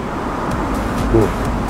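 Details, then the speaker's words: BMW E92 M3 (S65B40A V8) idling with faint regular metallic knock about four per second; worn connecting rod bearings suspected as cause. "こちらのキニM3うんエンジンかけたらうんカンカンカンカカカ言ってますカカンカン"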